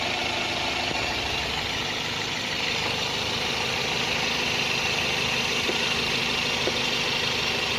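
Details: 2003–06 first-generation Toyota Vios rough idle: idle hunts unevenly with an irregular beat and hissy background; shaking engine, owner suspects a vacuum problem after replacing other parts, cause not yet confirmed.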